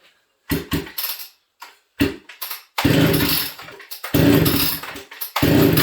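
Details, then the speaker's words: Ported XL 922 Super chainsaw started on full choke, fast throttle, cold, throttle blipped to warm up: sharp two-stroke bursts rising crisply and dropping back cleanly; healthy. "Okay, so full choke, fast throttle, and let's get this thing going. I'm going to pause you guys here and grab hearing protection. This thing's loud."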